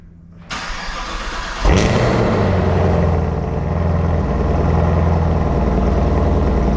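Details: Camaro ZL1 1LE V8, started after 6 months of storage: starter whirs briefly, engine catches with a flare of revs, then settles to a strong, even idle with no misses. Healthy cold start.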